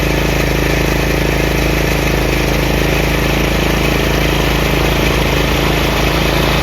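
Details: Craftsman 30-inch rear engine rider mower, after the throttle lever and PTO repairs: a steady single-cylinder drone at constant speed with no knocks or deck scraping. The blades are engaged but barely audible. Normal running.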